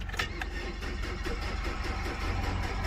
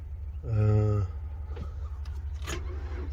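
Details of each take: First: 2003 Nissan Altima 2.5 L four-cylinder on a jump box, no battery fitted, steady starter churn at about four compressions per second, never firing: crank no start, CAN communication fault code in the BCM suspected, not confirmed. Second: 2003 Nissan Altima 2.5 L four-cylinder, from auction with a crank-no-start complaint, after repair and an ignition key relearn: a chime and click, then a steady low rumble holding even. It missed briefly, then cleared by itself; normal running with no misfire.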